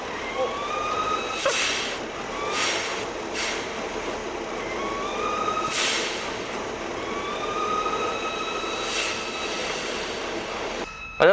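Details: BMW 5 GT 3.5 petrol with check engine light, rough running and RPM rising and falling: high whistle rises and falls over the rough engine, air drawn in through a vacuum leak.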